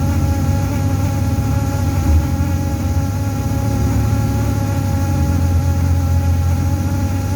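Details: TTC bus in motion: steady low droning buzz and vibration under the running noise, probably coming from the heater but unconfirmed.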